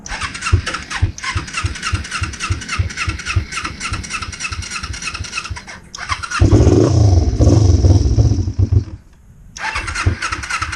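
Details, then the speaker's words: 2005 Kawasaki Ninja 250, first start after a rebuild that found a stuck valve. Cold, with the choke on: about six seconds of steady cranking, a brief catch and flare, then it dies and cranks again. A hard cold start. "All right, so on, choke it. Oh, she's cold."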